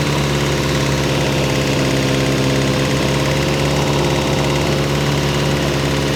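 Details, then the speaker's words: Ferrari 308 GTS fully rebuilt V8 after first start in about four years, warming the heads to heat the head gaskets: loud, even, fast idle with steady beat, no knocks or misses. Normal warm-up idle. "all right let's just warm the heads up a little bit just to get some heat into the head gaskets"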